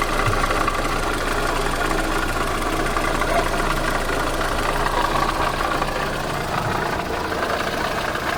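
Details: VAZ 8-valve engine: sharp metallic tapping about four per second over a steady idle; a clicking metallic knock in the engine, cause said to be found but not stated.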